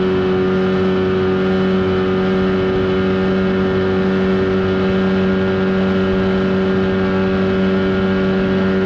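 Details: 1979 Evinrude 35hp outboard on the water after adjustments, with the air box left off for the run. Smooth, even high-revving drone at a steady pitch, no misses or knocks; running cleanly at speed.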